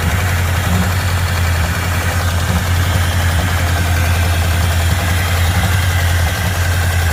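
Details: Ford Fairlane V8 after fixing distributor gear that wasn't meshing with the engine's gear: steady, even idle sitting a little high, no ticking or knocking over exhaust rumble; noise gone, engine was getting hot.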